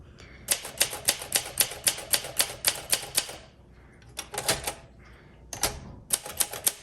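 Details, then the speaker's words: 1962 Olympia SM5 manual typewriter, well-used with scratched finish: crisp, even keystrokes about four per second in short bursts, each strike clean and sharp; keystroke feels very nice, healthy typing action. "The typing, the keystroke is so nice."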